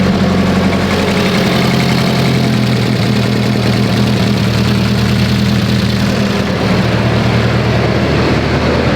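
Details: Mitsubishi Evo 8 right after head work, first start, warming up: very loud, steady idle with a lumpy, funny-sounding cam lope, no knocks or ticks; revs fine, oil pressure good; normal lopey cam idle.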